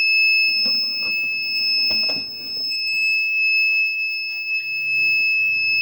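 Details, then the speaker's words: Amron 880VA inverter beeping steadily (high-pitched tone) with mains indicator blinking on switch-on; cause is the tripped rear AC-input MCB cutting mains input, and resetting the MCB stops the blinking and charging resumes. "तो यहाँ पे देख सकते हैं on करने पे हमारी beep आती है और बिलिंग जो है हमारी वो मेन बिलिंग कर रही है।"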